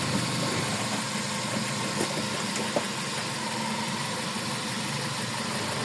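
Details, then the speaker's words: 2020 Nissan Almera CVT automatic on a lift: even drone with a thin whine as the gearbox spins; inspection found damaged bearings with much wear, worn CVT bearings. "oo dumami na ribaba oh ayan yung mga bearing na yan mga sira"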